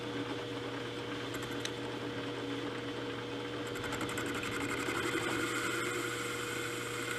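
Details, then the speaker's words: Repaired Banggood 3-inch R8 boring head, 0.040-inch cut, multiple passes: steady motor hum, even smooth cutting sound, no chatter or squeal; cutting cleanly before going deeper into the bore. "that seem to be cutting well so I've made uh multiple passes down below"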